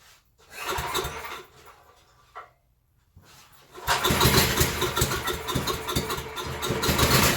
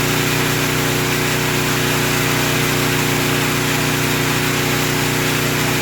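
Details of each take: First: Surging generator being pull-started on choke: the engine fires, then its speed swells and sags unevenly instead of holding steady; slow-draining fuel suggests a clogged supply; governor spring and idle adjustment considered. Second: Portable generator after the surging repair, started on choke: an even, steady drone with no rise or fall in speed and no surging, holding its governed speed smoothly.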